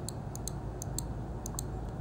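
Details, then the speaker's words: Logitech G502 Proteus Spectrum mouse microswitch, opened before silencing mod: sharp, bright clicks in quick press-and-release pairs over faint room hum; click comes from the contact plate travelling between upper and lower contacts, normal. "the clicking is coming from the travel of this little plate between the upper and lower contacts the upper contact is neutral the bottom contact is connected to the PCB so whenever it connects it registers as a click"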